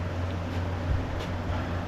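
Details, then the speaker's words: 2x72 belt grinder with flat platen 2-inch wheels: steady rough low rumble and grinding hum from worn bottom-wheel bearings (1/2 x 1-1/8 x 3/8), top set already replaced. "running the grinder this morning we got some bearing issues you can hear it just grinding"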